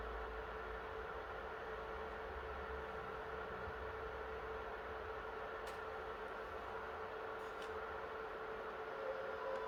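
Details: PS3 after NEC/TOKIN capacitor repair, previously shutting down on PS2 Classics and demanding games, now running a PS2 game (Grand Theft Auto) under load: steady even fan whoosh with faint constant hum, no surging or cutting out; runs normally.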